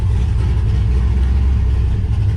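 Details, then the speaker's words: 1969 Camaro with cammed LS swap, first start: deep, choppy V8 idle with an uneven, lumpy hunting beat, running a little rich at idle; owner is tuning the VE table and AFR toward 14.5–14.7. "It sounds like, and you can hear that like hunting idle. That's one of the things I'm trying to fix."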